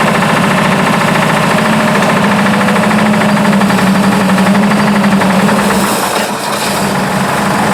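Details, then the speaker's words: Buick, after a fire, at idle with 42 psi oil pressure: loud rapid metallic knock about four per second, newly developed; owner unsure whether lifter or rod knock, possibly sticking valve. "she does have a knock of some kind that just developed but I was running 42 lbs of oil pressure there"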